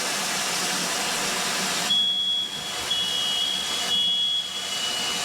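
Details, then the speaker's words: New-home sprinkler system test: releasing pressure trips the interlock, setting off all interconnected smoke alarms; over a steady rush, shrill beeps start at about two seconds and repeat about once a second. Alarms sounding together as intended. "What's going to happen is the fire alarms is going to start setting off within the house. And because they're all connected, all the fire alarms within the house will go off at the same time."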